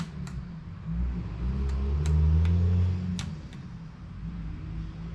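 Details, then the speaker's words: 2002 Honda Magna VF750C after fixing a no-start caused by a bad battery: right turn signal stuck, sharp uneven flasher relay clicks over a low hum; relay works, owner suspects a bad connection in the wiring. "The turn signals are stuck. I'm gonna have to tear all of this apart. I can hear the relay working, it's doing right."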